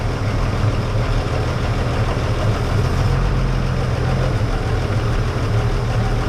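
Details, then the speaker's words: Barn-find 1931 Oldsmobile F31 running only on fuel poured into the carburetor: deep, low rumble fairly steady for now with an occasional miss; expected to die soon. "yeah there we go think that was a problem sound pretty good huh hey miss that time"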